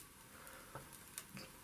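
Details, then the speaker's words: Electric water heater during repair: faint, irregular crackles and ticks over a quiet hiss as the hot element meets cold water. Suspected condensation or moisture between the element and its sheath, causing current leakage; the sheath was later replaced and the tank descaled. "tu entends comment ça croustille c'est de l'eau je pense c'est une condensation qui est en train de se faire"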